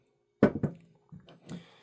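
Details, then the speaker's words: Brand-new SU carburettor (HIF44/HS4) piston drop test: piston falls with a few dull, soft thuds onto a proper protruding pin cushion, no hard metallic snap like the two defective carbs; this one is correct. "This one actually has a decent uh a decent um cushion. You can hear it doesn't it doesn't snap. It doesn't you know it drops nicely against this cushion. So this one this one is correct at least in that aspect there."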